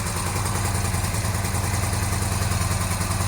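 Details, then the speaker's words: 1982-83 Honda V45 Sabre V4 café racer after correcting float bowls set far too high, fuel screws 2 3/4 turns, choke on, cold: low, even burble at idle, no misses; finally running on all four. "All right, we're finally running on all 4 cylinders. The bike sounds quite different."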